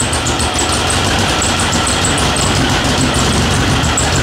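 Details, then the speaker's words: Turbo VW Beetle just after a cold start: steady idle with faint chirps a few times a second; belt squeak, reduced from before, owner suspects the alternator pulley. "the squeak is definitely better I kind of feel like it's the uh the alternator bully maybe making that noise"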